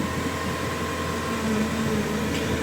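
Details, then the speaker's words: Engine-swapped Evo 2 after a power steering failure, with a new hydraulic hose fitted and the system bled. Wheel turned lock to lock gives an even steady hum with no rising whine or groan; normal power steering pump operation. "there's no noises comeing from the power steering units"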